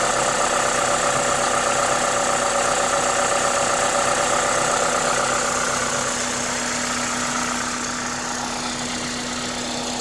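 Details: Toyota 2ZZ-GE engine at a normal idle, steady and even with a smooth mechanical hum; the loud intake hiss comes from an aftermarket induction kit; no knocks or misses, healthy.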